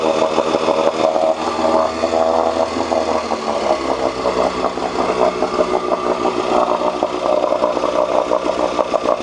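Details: 1986 Johnson 4 hp Seahorse two-stroke outboard after cleaning water passages for overheating: steady high-pitched buzz, slight speed change midway, even firing, no rattles; head temperature down from almost 190 to about 80–120, running healthy.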